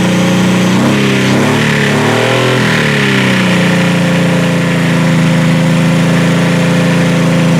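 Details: Demolition-derby H-body car after a derby with a crushed firewall: engine revs briefly then settles at a fast, steady idle that never drops; not the throttle, owner suspects a vacuum line, unconfirmed.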